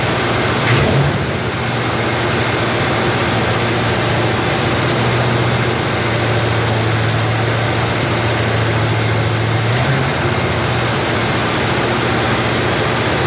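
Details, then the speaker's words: Chevrolet Nova Super Sport V8 idling after the distributor was replaced with a vacuum-advance unit; choke needs adjusting, good vacuum. Deep, steady rumble with no misses, knocks or hunting: normal smooth idle. "hey i need to adjust that choke a little bit but look at that we are running that perfectly good vacuum okay i gotta get my throttle spring out but look how smooth that thing's running"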